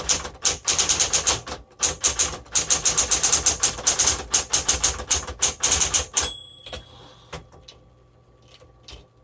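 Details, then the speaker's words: 1960s Smith Corona Coronet electric typewriter, repainted: crisp, uneven key strikes about three a second, typing cleanly after an earlier lockup caused by the ribbon reaching the end of its spool, fixed by reversing ribbon direction; working normally. "Okay, so this works actually excellent. There was no issues with it."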